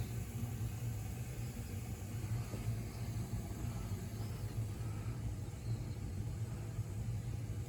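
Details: Gas boiler during a tune-up, firing before the gas pressure check and before it was fully hot; the return piping comes back hot, showing good circulation. Soft, steady low rumble with no pops, flutter or surging: normal, even firing.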